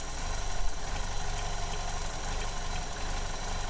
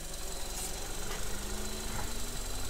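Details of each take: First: 2015 Vauxhall Corsa E 1.4 LDD petrol engine, idling with the oil filler cap pulled off to show a vacuum leak: uneven, lumpy idle with an irregular low throb; fuel trims go positive. Codes P0300/P0171. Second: 2015 Vauxhall Corsa E 1.4 LDD engine, healthy reference car of the same model used for comparison against a car with P0300 rough idle and lean codes: smooth, steady idle with no misses, knocks or hunting.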